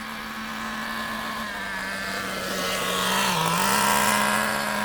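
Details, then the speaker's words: New nitro RC car engine warming up to operating temperature before tuning: high buzzing note that slurs and dips, slow and sluggish without crisp revving, too much fuel in mixture risking damage; rich running engine. "the reason for that is because there's a lot of fuel a lot of nitro going into mixture and that's no good that's when you start burning things and you start damaging"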